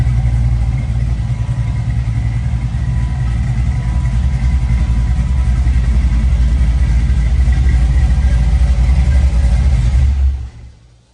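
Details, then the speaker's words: 1965 Chevy Nova V8 with new cam, non-boosted, first start-up after rebuild: deep lumpy rumble revving and holding steady before shutting off, choppy cam idle, no knocks or ticks. Normal running. "So glad we put that cam in there. It sounds pretty damn good."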